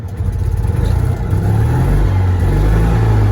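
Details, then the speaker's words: Citroen 2CV after carburetor troubleshooting, just refuelled at the gas station: starts and settles into a low, even, steady idle with no misses, knocks or stumbles; normal start and idle. "it starts and [Music] it idles well"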